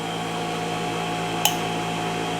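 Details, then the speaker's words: New Delta 6-inch variable-speed bench grinder at full speed: smooth constant whir with steady pitch and one brief click, pretty quiet; normal running. "Uh, full speed right there. And it's actually pretty quiet."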